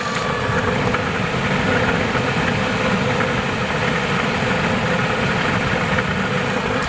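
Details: 2000 BMW 740i M-Sport 4.4 L at idle: constant rough, gravelly rumble from the very bottom front, outside the engine; suspected accessory bearing such as alternator, unconfirmed, to be checked by removing the belt. Abnormal noise at idle.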